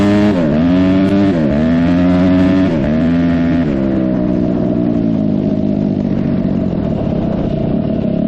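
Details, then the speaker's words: 2004 Suzuki RM-Z250 dirt bike after rebuild: sharp revs climb and drop cleanly, then settle into a steady pull with no popping, backfiring or bogging. Runs well with good power. "all right I got to say I am pleasantly surprised at how well this bike runs and how much power it has"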